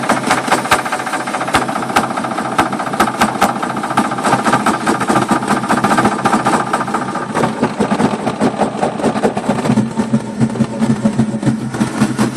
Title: 1965 mustang 2150 carb rough idle